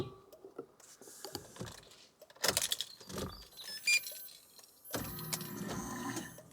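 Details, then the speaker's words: Nissan S15 Silvia after fuel system upgrade (new Aeroflow 525lph and 255lph pumps, Raceworks surge tank, Aeroflow hose, new wiring): clicks, then steady electric whir about two seconds at key-on, pumps cycling a few times; normal fuel pump priming before adding E85. "hear that so Cycles fuel pumps a few times now it's time for some fuel guys"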